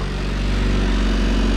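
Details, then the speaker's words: Honda CRX (AWD build) idling while burping the coolant system and checking for oil leaks; steady, even low idle, crisp with no knocks, misses or hunting; normal idle. "Alright, so we're idling nice and crisp now. We're just looking for an oil"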